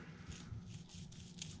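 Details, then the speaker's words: 1942 Farmall H PTO shaft bearing worked by hand after removal, shaft had much side-to-side play: irregular gritty scraping rasps from debris inside; bearing contaminated, likely never or rarely greased as grease fitting sits hidden below PTO shaft. "there's a lot of crap in there. So my guess is this bearing was probably never greased, or very rarely,"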